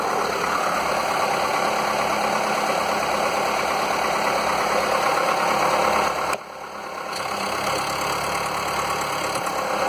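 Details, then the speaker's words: Normal idle on a Skoda (possibly Fabia) 1.4 16V petrol, engine code BKY, the morning after replacing the pistons to cure piston slap: smooth, even hum with no knocking. It previously knocked cold or warm, worse when warm. "Wcześniej to klepał zimny, ciepły, bez różnicy. Zimny trochę mniej klepał, po rozgrzaniu bardziej, ale widać, że jakiekolwiek klepanie w tej chwili już jest zlikwidowane w tym silniku."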